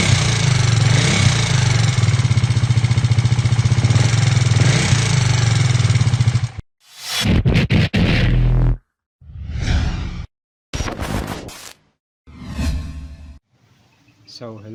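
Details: KTM Duke 390 V2 after torsion spring side repair: quick metallic clatter about four ticks a second over idle, louder on left side and rising with revs; gasket maker blocked the head oil passage so camshaft spray nozzles starved.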